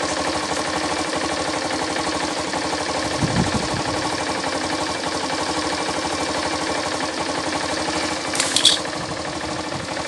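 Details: Yamaha SZ 150 single idling evenly with a regular beat and no knocking or slapping, after new timing chain and tensioner and broken compression-release weights fixed with a stopper; engine sounds healthy.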